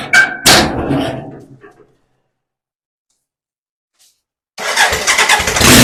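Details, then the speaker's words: BMW K100 motorcycle on a jack, starting after fuses cleaned and fuel pump primed, on choke: engine catches quickly and, after a brief pause, revs up loud and clean with no knocks or misses; runs. "okay so as you can imagine I'm pretty pleased that the bike actually runs"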